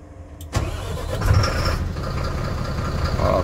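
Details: Mercedes-Benz Axor diesel truck with a hard-starting problem, after replacing a housing and O-ring: short crank, catches right away, settles into steady even idle without stumbling; clean normal start.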